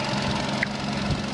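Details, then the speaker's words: 2014 Vauxhall/Opel Corsa bought damaged from a Copart salvage auction with rear-end damage, weak battery, no engine bay damage; petrol engine idles with a steady, even low hum, no knocks, ticks or misses, sounding healthy. "but the engine seems to be running fine. I don't know how that sounds to you on the camera, but let me know."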